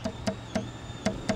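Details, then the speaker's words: Sharp, irregular light tapping from a large solar window screen: wind pushes the fabric so the screen's brace bar taps against the middle break of the window. Fixed by wedging cardboard or a felt pad between them. "they'll push that breaks bar up against the middle of the window okay well when it does that you'll hear a tapping sound like this listen"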